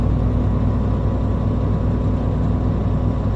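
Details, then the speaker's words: Truck air brake check: diesel at fast idle with the air compressor engaged after tank pressure was pumped below 100 PSI, primary and secondary needles rising; a steady, even rumble shows the compressor is working normally, and the governor later cut out between 120 and 140 PSI. "I can see that both of my needles for the primary and secondary tank are moving so the air compressor is working"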